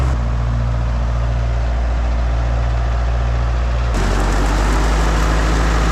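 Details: International 125E power-shift track loader diesel, sat about 10 years; steady deep idle with even beat, then firmer louder run under load spinning both tracks, no knocks or misses; normal diesel running, though a transmission hose then blew.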